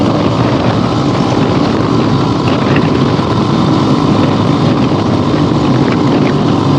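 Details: 1975 Harley-Davidson XLH Ironhead Sportster, basically stock, after a full rebuild and on a real test ride with the camera clipped to the rider. A steady V-twin drone runs under wind rush with no misfires or clatter, so it is running normally.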